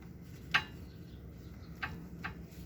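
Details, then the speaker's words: Toyota Avanza, front right tie rod end: owners heard a noise when braking and suspected brake pins or loose pads; instead the tie rod end is very loose. Rocking it by hand gives three sharp, irregular metallic clicks, the same noise heard when braking. It is to be replaced. "So pag ginalaw ko siya o yung naririnig nila oh. Yan pag pumepreno 'yun ang naririnig nila."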